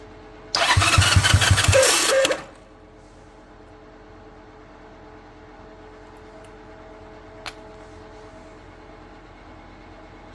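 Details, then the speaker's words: 1978 Honda Twinstar CM185T revived from scrap, choke on: about two seconds of fast cranking chuffing with no firing; only a tiny bit of spark from dirty points, to be cleaned further. "We have just a teeny tiny bit of spark now."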